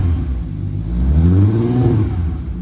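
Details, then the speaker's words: Fully rebuilt VW GTI VR6 with newly fitted exhaust, revving: deep smooth note rising and falling cleanly with no rasp, drone or rattle, much quieter than before; healthy exhaust. "that sounds way better damn that sounds good sweet that makes me happy the exhaust sounds good it's not obnoxious"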